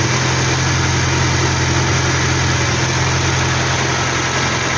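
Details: Hillman Superminx after fitting a new Powerspark electronic ignition module and Lucas coil: even, low idle with a steady firing beat and no misses or stumbles; engine ticks over smoothly, normal idle.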